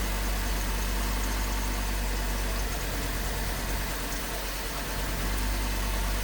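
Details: Hummer H3 after misfire diagnosis and replacement parts fitted, P0300 code: steady, even low rumble at idle with constant pitch and no misses or stumbles; normal idle.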